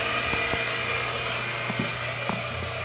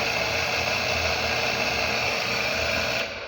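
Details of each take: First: Household electric water pump that had been stuck and only buzzing, running after being tapped free: steady, even motor hum and whine with no stalled buzzing. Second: Household water pump that only buzzed because its rotor was stuck from lack of use; after freeing the rotor by hand, the motor runs with a rough whir and high whine, still straining while it lubricates and loosens.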